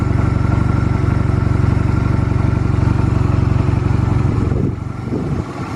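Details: Stored Honda Rebel 250 Special (MC13-1103) start-up check: even, steady idle thump around 200 pulses a minute with no knocks or rattles, then a clean shutdown; normal idle, no abnormal engine noise.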